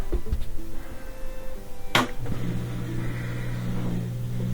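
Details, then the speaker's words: LG washer with an LE error after a new Hall (rotor) sensor, running at the highest spin speed. A thump, then a steady, even low hum with no wobble or grinding; it only quivered before. Normal high-speed spin. "Before it was just quivering, and now the computer is able to talk to the rotor because it has a new Hall sensor. So the high-speed spin looks really good. Back to normal."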